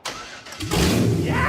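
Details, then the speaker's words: 1959 Rambler wagon first test-fire after transformation, key start, exhaust not yet done; quick crank, catches at once and settles into a strong steady run, clean healthy start. "Whoa! To hear the motor start, what a relief, you know, finally."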